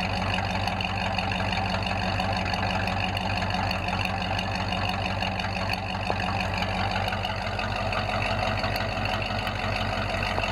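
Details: Ford F5 with an American V8, started after a long time sitting, after checking the engine oil, ATF and coolant: a steady, even idle with a deep low exhaust rumble and no knocks or misses. Normal idle.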